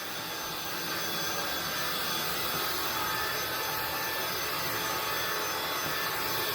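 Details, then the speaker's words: INSE V120 cordless stick vacuum, battery around 80%, crossing hallway and metal grates: smooth, even rushing airflow with no screech or high-pitched whine; motor sounds healthy and not very loud. "I don't think the machine's very loud either. It's not screechy. It doesn't have a high-pitched whine to it, so that's very welcome."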